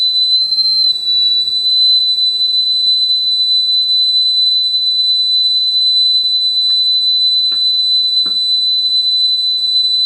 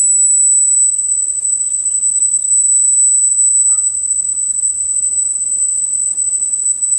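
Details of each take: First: Sony TC-850 reel-to-reel deck, capacitors already replaced, after speed adjustment: clean steady 8 kHz test tone holds pitch without wavering or drift, exactly on speed. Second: Sony TC-850 reel-to-reel deck, capacitors already replaced, speed calibration: 8 kHz test tone reads 7.89 kHz, slightly flat, so tape runs slightly slow before speed is trimmed up to 8 kHz.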